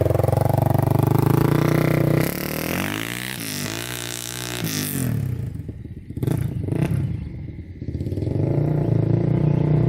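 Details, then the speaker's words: 2006 Polaris Outlaw 525 quad, gauge at 96°F; smooth even idle at start and end with clatter and revving between, no knock or misfire, strong power. Normal running. "all right this thing's got a ton of power you can see the gauge is working"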